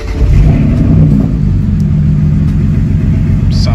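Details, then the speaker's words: BMW 335is with swapped-in N54 engine, codes cleared: catches and settles into a lumpy, stumbling idle; one cylinder misfire traced to a leaking injector. "so turned out to be a bad injector so the injector is leaking so some of the six was leaking so that's why i was misfiring"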